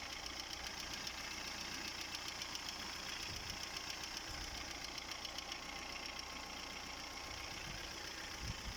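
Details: Chery Amulet A15 engine at idle: sharp, steady ticking knock at about four beats a second over a thin engine hum, with the oil pressure warning lamp lit; cause unknown, engine to be stripped down.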